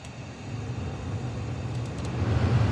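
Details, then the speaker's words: 2007 Honda Accord blower motor running after a new blower motor resistor was fitted, ignition on. Low, steady fan rumble builds smoothly and evenly as it spins up; the blower now works, so the old resistor was the fault. "oh you can hear that it's working hope you can hear that"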